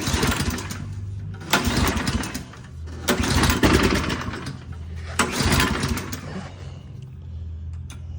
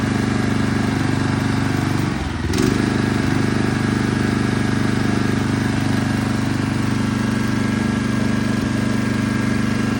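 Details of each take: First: Toro Turfmaster mower, first start attempts after a carburetor replacement, choke toggled: pull-cord cranks in uneven bursts every one to two seconds, engine sputters but never catches. Owner suspects fuel had not yet circulated. Hard starting, cranks without running. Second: Toro Turfmaster mower after a carburetor replacement: brief dip as it catches, then an even, steady, smooth drone. The earlier no-start is confirmed fixed by the new carburetor. Normal running.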